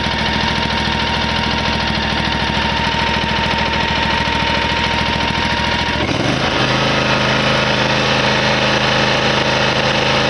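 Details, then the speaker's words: Hustler Raptor mower, Kawasaki V-twin, at full throttle checked with a newly fitted tachometer: steady drone dropping to a lower, even beat midway; engine running below recommended top RPM because the throttle stop limits it, which is later backed out about 1/4 inch. "Okay, now that we learned that the motor has to be off in order to get that 1P1R on the selected on the thing, and we found out we were running low RPMs,"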